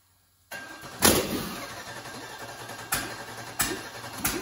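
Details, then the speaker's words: Rebuilt aluminum 5.3 LS for a turbo, manual, rear-drive 2014 Dodge Grand Caravan conversion, first start, harness temporarily hardwired: sharp bang, then irregular sputtering pops and it won't pick up. Tune still set for 80 lb/hr injectors but 29 lb/hr are fitted, so it runs lean. "so i think i might know why uh well i loaded into tune with 80 pound per hour ejectors these are 29 pounds per hour never really thought about that"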